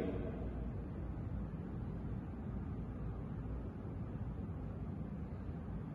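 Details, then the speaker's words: General ducted split air conditioner, 3.75-ton, feeding a bathroom supply: on medium fan speed air and indoor unit noise drop to an even soft rush with low steady hum, like an exhaust fan; normal operation. "على ميديوم بخف صوت الهواء وايضا بخف صوت الوحده الداخليه يعني انا بشبهه لصوت مروحه شفط مثلا"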